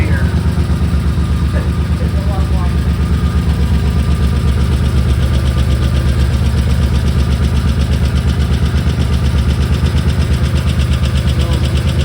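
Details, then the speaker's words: 1985 Nissan 300ZX (Z31) manual after new cat gaskets and gutted catalytic converter: steady, smooth, much quieter idle with no leak ticking or chuffing and no more smoke; normal idle. "more no more smoke wow that's uh really quiet that's a lot quiet"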